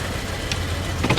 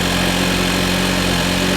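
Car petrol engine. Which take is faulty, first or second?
first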